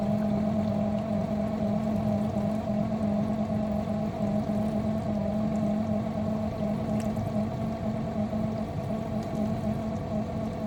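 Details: Miele G6625 dishwasher bought April 2018 (about 7.5 years old): loud steady rough grinding with constant hum from the base where the circulation pump motor is; filter, spray arms, non-return valve clear; owner suspects debris in pump or worn motor bearings.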